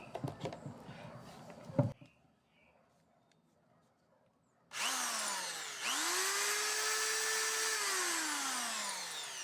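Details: Schulz electric drill that would not switch on, after diagnosis and repair (trigger and DIAC DB3 checked): motor spins up with a clean steady whine, holds pitch and winds down evenly, running normally.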